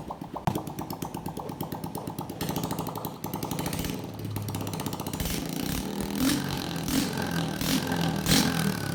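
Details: Honda Biz 125 smoking, with engine noise: single-cylinder putters about three beats a second, then rises with uneven rough pulsing and clatter; abnormal engine noise, cause unclear.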